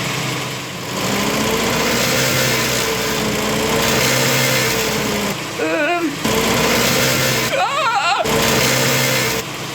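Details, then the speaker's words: 1972 MG Midget with 1275 engine, idling before the repair: a loose, buzzy metallic rattle from the heat shield near the throttle body, with one spring missing and old springs worn. Fixed with new springs. "So, here's the first rattle that was causing the problem. Listen."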